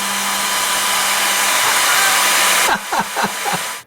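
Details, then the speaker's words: Cooling fan on a 20 W diode laser, remounted on rubber pieces with loosely tightened screws to cut vibration; smooth, steady whoosh with a low even hum and no rattle, then spin-down; running quietly after the fix. "So let's turn it on and listen to it to start with. Can you hear we've reduced all the noise?"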